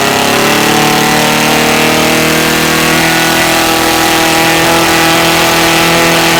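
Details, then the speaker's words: Saito FG-60R3 three-cylinder radial in RC T-28 Trojan, ground test during break-in, mixture set very rich: loud, steady radial drone with slight pitch rise, rich but even; healthy break-in run. "there it goes all right man she runs I got to run a bunch of fuel through it to break it in but uh running it super fat cuz that's what they they recommend to start just to help lubricate it"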